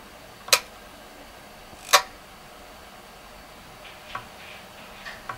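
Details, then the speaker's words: Programmable timer socket, about 5 years old, with load plugged in: two sharp clicks about 1.5 s apart then fainter ticks; relay won't hold contact, buzzes when held, drops to off; owner suspects fried coil. "As you can hear, it's not holding it anymore. So basically, I think the coil itself is fried and it cannot hold the contact anymore. When it's holding it for a while, it's buzzing, and when it's not, it's actually going to off mode by itself."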